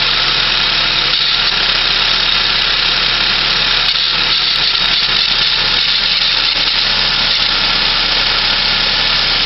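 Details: 1996 Saab 900S engine at idle: steady high-pitched hiss and whirring from the belt and pulley end, exact source not yet identified; unidentified noise from belt and pulley area.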